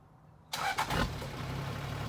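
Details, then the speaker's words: Toyota FJ60 Land Cruiser with swapped diesel, warm, restarted: short crank catches almost instantly and settles into a steady, even idle; owner says smoke shows only at startup, burns clean. "um it burns pretty clean the only smoke you see is on startup which is where you should see it"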